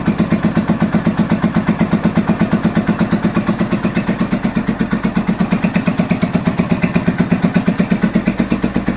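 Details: 1983 Honda VT750 V-twin first start after a top end rebuild and modifications: steady, even beat around 170 firing pulses a minute, slightly fast on choke, no knocks or misses; normal idle.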